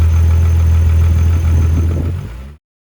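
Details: Mk3 VR6 first start after clutch, timing chain and O2J shifter swap, coolant topped off; cranks, catches and settles into a deep, fairly even idle rumble before cutting off; it starts and runs.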